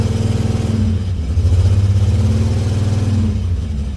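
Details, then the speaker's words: $300 auction car with a new valve cover and apparently original coils. Uneven pulsing beat with lumpy low throb and rising revs; owner says it sounds a little rough, like an exhaust issue. Rough running, cause unconfirmed. "Sounds a little rough. Sound like some exhaust."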